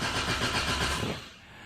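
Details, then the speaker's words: Toyota AE86 first start after new fuel tank, pump and filter and cleaned lines, about two gallons of 93 octane: rhythmic starter churning for about a second without catching, then a click, as fuel is still reaching the rail. "ought to take a few moments to get up to the fuel rail here here we go"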